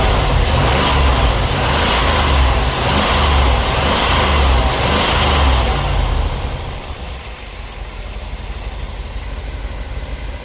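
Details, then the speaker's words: Engine after a misfire from a cracked ignition coil with spark tracking was fixed with a new coil, cap, rotor, spark plugs and wires: it revs strongly, then drops to a steady, even idle with no stumble. "Got that misfire taken care of."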